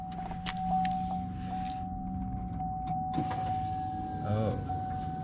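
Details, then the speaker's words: 2003 Chevy Suburban 5.3L 2WD after fuel pump replacement, key turned to second click without starting: faint hum then a thin high whine for a couple of seconds as the new pump primes and fills lines, normal. "just turn the key on to the second click like three or four times don't start it though yep you can hear the feel pump do that a couple more times"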